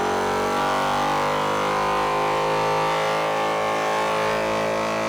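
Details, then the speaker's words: MORRFlate TenSix 12V portable compressor hooked to a battery and 35-inch tires through a 4-tire hose kit; steady buzzing motor hum with fast piston chatter, no surging; normal running. "Now when we fire it up, it'll run for just a little bit until the pressure is all built up, and then it'll shut itself down to prevent damage to the pump and the other hoses and the regulator."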